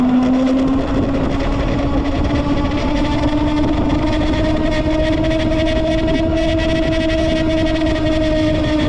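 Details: Lectric XP 2.0 e-bike: a steady whine near 250 Hz with a fainter higher tone, creeping up slightly over constant drive noise; source of the whine unclear.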